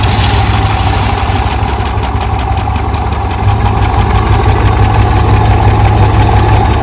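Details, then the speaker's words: Dodge 360 V8, long unused, started cold on choke after refilling antifreeze. Steady, even low idle; the earlier rattly, clanky noise is gone. Normal idle. "Okay, good news. Starts, and I don't hear that rattly, clanky noise."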